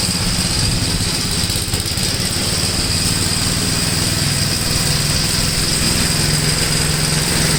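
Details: 1962 Gravely L/LI walk-behind tractor, single-cylinder, mowing a field after valve adjustment and carburetor tuning: steady, even chug with a constant low drone, no misses or surging under load; runs acceptably.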